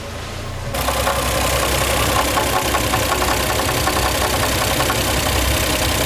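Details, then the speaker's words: Toyota JZX100 Chaser at idle after new timing belt and rebuilt VVTi cam gear: catches into a rough idle with uneven quick ticking knock over the running note; weird sound persists, cause unconfirmed. "so we've gone through the process of replacing everything timing belt on vvti cam gear rebuilt with the new steel and everything and it's still making that weird sound"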